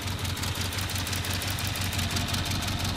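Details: Cold start on a 400 hp 1993 Volvo 940 turbo wagon, stock 2.3L redblock four-cylinder: uneven, loping idle with a regular stumble about three times a second, smoking; one cylinder not firing, no compression on number one.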